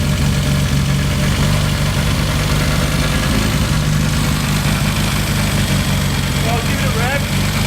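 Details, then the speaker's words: Freshly rebuilt classic car with SU carburettors, first tune-up after a long layup: loud petrol idle wavering up and down, won't hold steady; mixture suspected weak. Hunting idle. "it's hunting a bit something in the mixed is weak so is the mixture weak"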